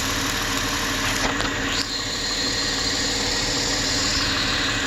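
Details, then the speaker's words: 2003 Chrysler Sebring 2.7 after used-engine swap: harsh, unsteady idle; runs only with crank signal because the cam gear from a newer engine gives the wrong cam pattern (green trace); crank pattern correct. Won't start with cam sensor connected. "that's my pattern there it's the wrong pattern the green is the cam shaft it's the wrong pattern"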